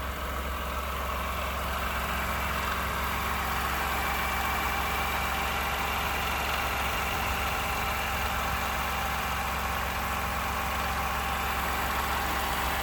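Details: 29K-mile 2018 Ford F-150, 2nd-gen 3.5 EcoBoost V6, at idle: a light, loosely regular rattle of three or four taps a second over the drone. The owner cranks longer to prevent cam phaser startup rattle. Engine knocking at idle, cause unknown.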